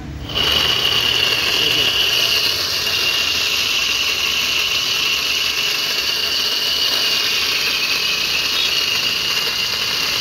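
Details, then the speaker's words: E-rickshaw with loud noise; with wheels checked, the motor is run on its own and gives a loud, steady high-pitched whine with a rough edge; the test determines whether the motor or the crown (differential) is at fault. "अब आपने देखा कि इसमें कितनी तेज आवाज आ रही है"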